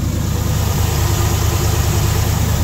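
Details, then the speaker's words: Old Ford FE 360 V8 truck, previously lost oil pressure, restarted in the rain: deep, even idle, steady low rumble, no clicking or top-end clatter as oil pressure returns; normal idle, though pressure soon drops away again. "it ain't doing no Clickety clacking it's got oil pressure now somebody explain it to me"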